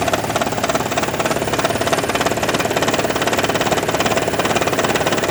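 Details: 2012 Toyota Prius, warm idle: steady hard knocking and rattling about 3.5 beats a second, starting and stopping with hybrid battery charging, also at low speed, absent at cold start and high speed; coils, plugs, injectors, PCV, EGR replaced or cleaned; cause not found.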